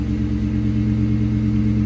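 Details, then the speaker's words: Ford Mustang GT SN95 V8 after cylinder head repair for a blown-out spark plug: even, steady rumble with a smooth low beat, no ticking or puffing; no big exhaust leaks, running healthy. "the only thing that's left to do is to go ahead and start it up and show you how no big exhaust leaks"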